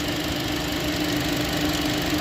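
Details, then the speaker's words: 2015 Chevy Cruze 1.4T, 68,000 miles, after replacing the valve cover/gasket with PCV valve to cure hissing, jerking and code P1101: even, quiet idle with a faint steady hum, no hiss or surging; normal idle. "that noise should be gone no more hissing and this thing should act right it should idle smoothly a lot better whole lot better"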